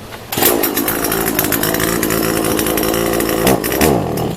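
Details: SHIN KOMI TSK40016Z two-stroke chainsaw, reassembled after inspection (scorched pressure plate, broken starter rope): rasping buzz wavers and surges unevenly, then falls away and stalls when throttled; owner suspects mainly a carburetor problem.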